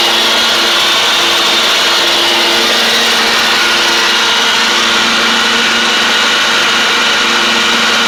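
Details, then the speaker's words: John Deere D140 riding mower, once blowing fuses, with basically new spindles: a steady, even, high blade whir over the engine with no bearing squeal. The spindles are kind of loud but sound better and quieter; normal mower deck running. "I guess the way that those spindles are they're just kind of loud it has like I said basically new spindles on it it does sound a good deal better though a little bit quieter which is good"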